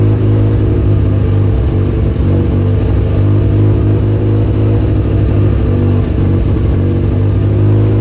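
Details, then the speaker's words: Mazda FC3S RX-7 Turbo II rotary, emissions deleted, with a new welded stainless exhaust and muffler, heard while driving. Smooth, deep, even drone that swells with throttle; very quiet with a nice tone, turbo spool audible, no rattles or leaks. "The exhaust is extremely quiet, but it has a nice tone. I can actually hear the turbocharger spool when I accelerate."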